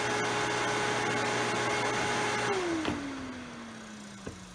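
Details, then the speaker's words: Single-phase AC induction motor test run after bearing replacement, with the fan fitted: steady, even hum with a faint fan whoosh, then a smooth wind-down when switched off; normal run, no grinding. "it's a little bit more noise with the fan there but still nice and smooth perfect"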